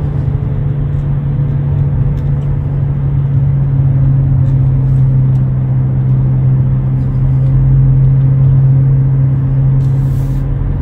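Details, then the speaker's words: 2009 Nissan Altima 2.5 CVT cruising at about 40–60 mph: deep steady droning growl under road rumble; worn driver's side front wheel bearing, replaced along with CV axle. "you might have to replace the wheel bearing if you're hearing like a real loud growling noise in your car this one was making a really loud noise at about forty to sixty miles an hour"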